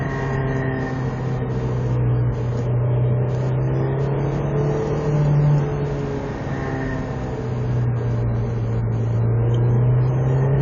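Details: Honda S2000 (AP2) engine droning at steady mid revs with a faint high whine swelling in and out twice; owner reports an unexplained noise and vibration only between 4000 and 4500 rpm.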